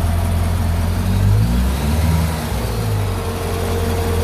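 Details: 2012 Corvette C6 Grand Sport, 6.2 L LS3 V8, first start after an AMSOIL engine flush and a change to Signature Series oil: a deep, even V8 burble swells with a light blip, then settles to a smooth, healthy idle.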